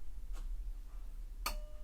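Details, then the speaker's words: Pioneer SX-780 stereo receiver switched on with the power switch: two crisp single clicks about a second apart in a quiet room, the protection relay engaging normally at power-on. "Turn it on, wait for the relay click."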